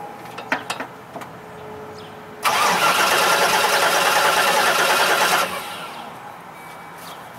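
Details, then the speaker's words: 2005 Chevrolet Express 3500 6.0 box van: starter whirs steadily about three seconds but the engine never fires; crank, no-start, with power maintained at the crank sensor but no crankshaft position signal on the scope. "we maintain it yep we maintained it so a little bit of voltage drop hopefully you guys can I don't know what you got for glare there but uh we did maintain power but we definitely on the yellow Trace have no crank signal"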